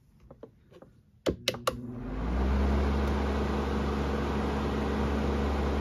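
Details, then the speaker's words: Amazon Basics F26-16A air circulator floor fan on low speed: a few switch clicks, then a soft even hum with no rattle or buzz; quiet, none of the high-speed vibration, moves air a good distance. "the low speed is quiet you don't have that obnoxious vibration sound and it moves air in a way where you could tell it carries a pretty good distance too"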